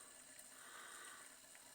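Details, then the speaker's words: Reverse osmosis pump after motor replacement, original head kept: soft, steady rush of water through the filter system, quiet with no knocking or clunking, normal running. "Вот помпа работает. Видите, как тихо. Без всяких стуков, грюков."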